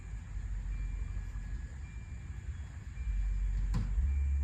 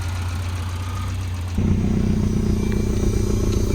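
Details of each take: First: 1992 Volvo 940 wagon, long sat in woods, hotwired: starter spins the engine evenly but it never catches; injector pulse seems present, no fuel is coming through, so it's a crank no-start from lack of fuel. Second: 1992 Volvo 940 wagon, first run, airbox off: steady low idle rising smoothly to a higher even speed. There is a slight misfire noted, but it runs well.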